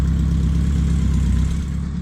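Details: BMW K100 café racer build, just started for the first time after the missed wire was connected: deep, steady, even idle with no misses, knocks or hunting. Runs smoothly.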